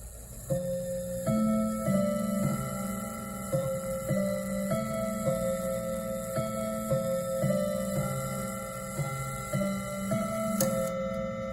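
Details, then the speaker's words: Westminster chime clock, a 25th work-anniversary gift: quarter chime melody rings clearly but no hour gongs follow; strike train dead, apparently broken strike spring, movement too complex to disassemble safely. "Then it should gong, gong, gong, gong, but it can't because the spring is broke apparently."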